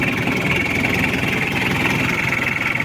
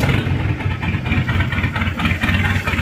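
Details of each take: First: Chevrolet K5 Blazer with a Mitsubishi 4D56T turbo diesel, after repair and setting, idling while warming up to normal temperature: even diesel clatter with no misses or uneven beat; now fairly smooth; normal diesel idle. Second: Mitsubishi 4D56T turbo diesel in a Chevrolet K5 Blazer, badly set up after an earlier engine removal, before repair: lumpy, uneven idle with a stumbling beat, white exhaust smoke, no power; misfire from poor injection timing and nozzle setting.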